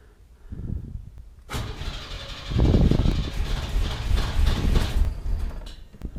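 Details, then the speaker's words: 1991 Chevy S10 Tahoe after a new starter swap, coil wire reconnected: starter cranks cleanly with no thumping or grinding, but the engine never fires; no start from a low fuel pressure problem. "Let's see if it'll actually start and run. Well, it's not running, but the starter's sounding a lot better."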